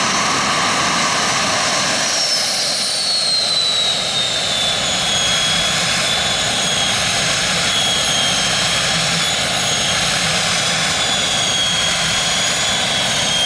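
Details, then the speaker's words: Jet turbine truck, first start-up after winter, after cleaning a dirt-clogged fuel filter and adjusting the fuel pump: steady high roaring rush with thin whistle settling to even pitch, no surging or popping; normal healthy run. "That looked pretty good to me. Actually, it's run better than it ever has, cleaning that fuel filter out."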